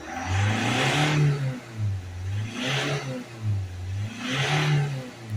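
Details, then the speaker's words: Ford Transit Custom diesel van at 132,000, DPF soot fault codes P24A4/P246C/P2463, hard accelerations during DPF cleaning: revs rise and fall in three repeated surges, then get cut as the blocked particulate filter restricts power; limp mode. "seems to be accelerating a lot better already yeah and there you go the revs are gone now it's restricted again"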